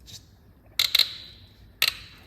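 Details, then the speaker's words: BMW 3.0L diesel, glow plug being removed: three short, sharp high-pitched creaks and snaps. Glow plug seized in its thread. "uh it's just a terrible noise Oh I thought it snapped the ratchet slipped"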